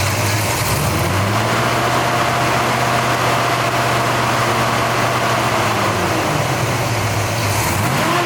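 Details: 1966 Chevrolet Chevelle SS V8 with GM 12-bolt rear, in excellent condition: quiet, deep, even big-block rumble at idle with smooth pitch rises on each throttle blip and a bit of rumble under gas; runs clean and healthy.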